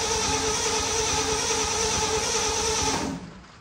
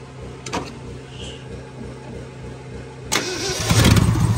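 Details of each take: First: 1967 Ford F100 V8 that sat 28 years, with gasoline poured in to try a start: steady fast starter chugging for about three seconds, then it stops without firing and there is no spark; failed ignition points. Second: 1967 Ford F100 V8 that sat 28 years, hot-wired to key-on with the choke partly on and fuel squirted in. A few seconds of cranking, then it catches and settles into a lumpy idle with a couple of revs.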